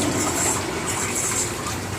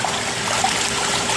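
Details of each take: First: Jacuzzi J 480 hot tub, about 480 gallons, water at 99°F with setpoint 95, jets firing on both sides with no air added. Steady, even rush of water over a low pump hum, no surging or rattle; jets running normally. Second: Jacuzzi J 480 hot tub with jets running: the diverter switch that directs water pressure is leaking water, and a service visit is booked. Steady watery trickle and splash over the jet pump's hiss, water escaping past the diverter valve.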